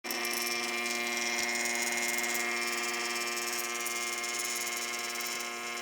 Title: Running water in Sink makes a Strange Weird noise